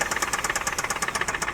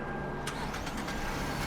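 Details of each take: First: $3,000 Dubai auction car whose engine ran short of oil. Sharp, evenly spaced metallic knocks, about ten per second, over a light hum. The engine was removed and the connecting rod, crankshaft and bearings were found damaged. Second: $3,000 Dubai auction car after a full engine rebuild to cure a knock caused by missing oil and destroyed bearings. The engine catches and settles into a steady, even idle with no knock; some smoke is seen.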